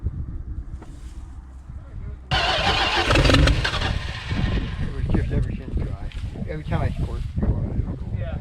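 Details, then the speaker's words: Abandoned 1964 Plymouth/Dodge Valiant convertible, slant six, long-sitting field find, first start: engine catches with a roar then stumbles and sputters, never settling to idle, fuel-starved on pickup; owner suspects accelerator pump or carburetor, possibly a combination. "i'm thinking this the accelerator pump could be shot or who knows it could be a combination"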